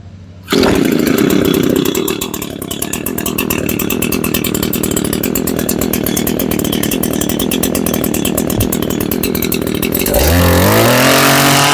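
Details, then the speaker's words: Echo PE225 two-stroke edger after fuel line and carburetor replacement, at full throttle: steady high-rev scream for ten seconds, then drops off; holds top speed cleanly. "all right let's take it outside all right we're going to start it up bring it to Full Throttle and then adjust as needed"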